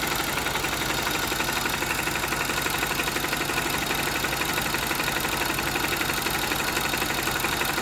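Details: Honda GL Max Neotech engine before teardown for restoration, owner complains of rough noise, oil seepage and possibly low compression: steady idle with a fast, rough ticking clatter about four per second from head and clutch area; stiff timing chain and worn rocker arm.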